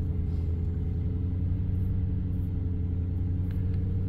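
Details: 2010 Toyota Tundra SR5 V8 after secondary air injection valve replacement, fuel rail primed before cranking; low smooth rumble at idle with an even beat, no ticking or stumbling. Normal idle.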